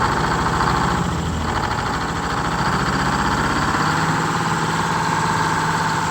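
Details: Detroit Diesel 6-71 two-stroke in a 70-year-old 4104 bus, after a new fuel pump and two replaced sticking injectors: runs on all cylinders with a steady, deep, even beat, idling a little high but healthy. Normal idle after repair.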